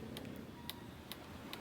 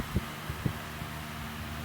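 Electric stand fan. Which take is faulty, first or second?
first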